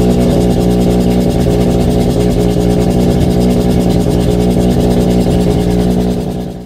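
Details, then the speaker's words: Mazda RX7 FC3S rotary, flex fuel, Haltech Elite 1500 with stock BAC valve at 10 Hz, 60% max output, not yet tuned: fast buzzy idle held well above normal, steady without hunting, then cut off; idle still very high. "Those are the main things that I changed, and it does still idle very high, but the point is we can get it fired up and idling even with this flex fuel setup before we've seen the tuner."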